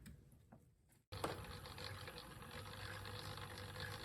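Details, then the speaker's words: Redcat Gen 8 V2 crawler after swapping HobbyWing 1040 for 1080 ESC, very slow speed: even gear whirr and soft rumble, no electronic harmonic hum or whine, only normal drivetrain gearing noise. "You can hear there is no electronic harmonic hum, no whine. All that you can hear is all the mechanicals, all the gearing moving in here."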